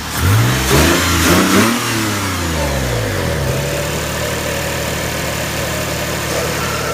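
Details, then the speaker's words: 2007 Lexus IS250 after fuel pump motor replacement, previously sputtery: two quick revs rise and fall cleanly, then it settles into a smooth, even idle with no knocks or misses; normal running after repair. "I bet it actually dry better now because it was sputtery before."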